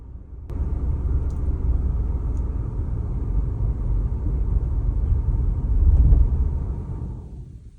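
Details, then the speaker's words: GM vehicle idling while a Kingbolen Soloscan bidirectional scan tool switches the fuel pump off to depressurize the fuel system: the idle turns rough, swells briefly, then fades out as the engine stalls from the fuel cut. "If you hit off, it'll cut the fuel supply off and then it'll depressurize the system. So, it's good to work on. So, off we go. You'll see it start to drop. It'll get rough."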